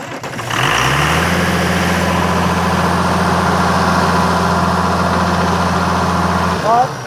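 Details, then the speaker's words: 1997 Kershaw Klipper right-of-way trimmer diesel, oil filler cap off for a blow-by check: engine catches within a second and settles into a steady, even idle with a smooth low rumble; oil coming out of the filler but no blow-by, runs normally. "well we was checking the blow by in it and it's not unusual to see the oil come out of the the filler thing so I don't that don't mean anything I guess it means it's just slinging it but uh was no wasn't any Blow by"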